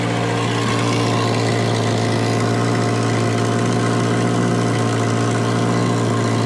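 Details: Volvo 240 warming up: steady engine hum at a fast, even idle that drops only in roughly 20 rpm steps; idle stays chronically high. Exhaust leak and blown top cam seal oil leak also present; cause unconfirmed.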